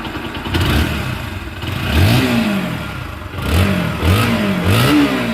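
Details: Bajaj Pulsar NS160 after full engine rebuild (connecting rod, piston rings, gearbox): quick throttle blips rise and fall cleanly from steady idle, no knock or rattle; engine sounds healthy.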